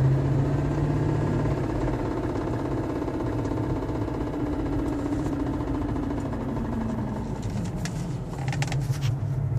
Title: C43 AMG ticking sound